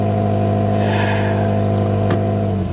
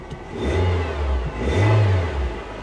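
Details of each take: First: Old Subaru at auction with 191,000 miles, dash lights on: engine revs hard with a raspy, buzzy note, then settles as the throttle drops; clear exhaust leak, likely the flex pipe. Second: Chevy Tahoe from a Copart salvage auction, sitting on a flat tyre: two clean throttle blips, pitch rising and falling smoothly with no knocks or rattles; the engine revs freely and sounds healthy.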